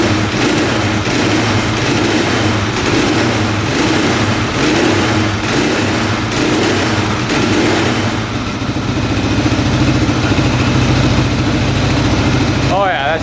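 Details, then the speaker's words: 1995 Suzuki DR650 single-cylinder street-legal dirt bike running without choke, new air filter not yet fitted: loud even thumping with steady revs and smooth blips, no misses or knocks, sounding way better; normal running. "sounds way better"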